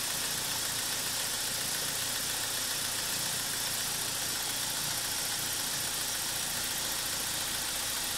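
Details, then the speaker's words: BMW E46 316ti N42 engine, first run after replacing the timing chain, guide rail and front main seal, on a support bar: after early VANOS hesitation, a steady, even idle with no ticking or rattle; normal idle. "now it works nice okay that's it guys I'm going to stop the engine and just finish up everything"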